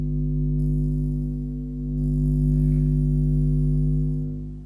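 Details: Jamo D7 subwoofer XLR input install: loud steady constant-pitch low drone with no rhythm, recalled as the unshielded input transformer picking up mains hum before fixes; Neutrik NTL1 transformer later removed the hum completely.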